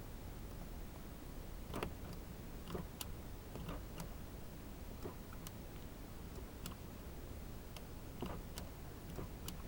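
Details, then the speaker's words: 2004 G35 Coupe with failed power door locks: short, sharp actuator clicks each time the lock switch is pressed, but the lock does not travel and the doors neither lock nor unlock. "when I press the lock switch you can hear a click but obviously the door won't lock now watch"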